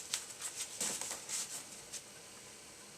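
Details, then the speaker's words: Apple IIe floppy drive loading a freshly made disk after repair: quiet, irregular clicks and brief chattering bursts as the head steps and reads, then the game loads. Normal floppy drive operation. "I've just knocked up from my new apple see if this is going to load that sounds more like it"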